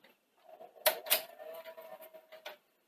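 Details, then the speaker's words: Sony SL-C30 Betamax VCR: thin, steady mid-pitched whine under the loading clicks, tape spilling out and running far too fast; capstan motor running too fast, possibly bad Hall-effect sensors or capacitors, not confirmed. "yeah that's seriously running fast you can actually hear it running fast"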